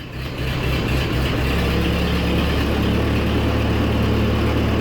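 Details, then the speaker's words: 1940s Ford tractor four-cylinder, recently bought cheap and believed worn out, runs after carburetor adjustments: catches and settles into a fast, steady idle at about four beats a second with no misses. Oil pressure came up and there is no smoke. "hey our oil pressure came up that was frightening for a moment those guys on the google must have been right about the carburetor adjustments exhaust is basically right under me but we're not smoking whatsoever"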